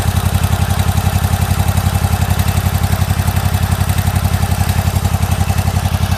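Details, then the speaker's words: Year-old Toro zero-turn mower with new plugs, running and cutting: steady idle about 220 beats a minute with a lumpy pulse and backfire, as if one cylinder skips. Compression and valves were later found good and the carb was pulled; cause not confirmed. "well it runs and cuts you hear the back car I do here it is back fire"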